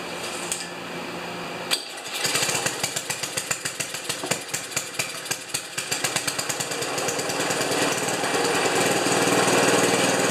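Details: Ariens 2+2 snowblower small engine after fitting a replacement ignition coil at doubled air gap (it had been stalling after running a while): sharp pulls and firing pops about four per second, then a steady even run.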